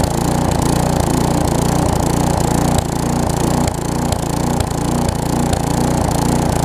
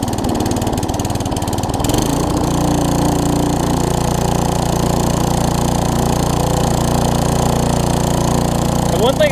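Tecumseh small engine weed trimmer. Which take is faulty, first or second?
second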